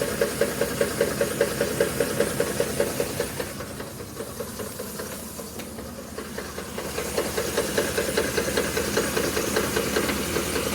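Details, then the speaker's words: 2010 Ford F150 5.4L 3V, under 90k miles: steady knock about 2.5 beats/sec over hissy idle, louder on passenger side, worsening over 5 days, vibration felt at VCT/oil cap; owner suspects cam phasers, not timing chain; unconfirmed. "Definitely louder on the passenger side. It's gotten louder over the last 5 days."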